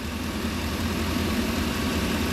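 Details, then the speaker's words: 2002 Ford E350/E250 with modular V8, check engine light P1132/P1152, after disconnecting and plugging the PCV: steady even idle, smooth hum, the earlier buzzy noise gone; bad PCV valve suspected, fuel trims going positive. "I don't hear that Buzzy noise anymore that yeah that's gone so we're on to something here"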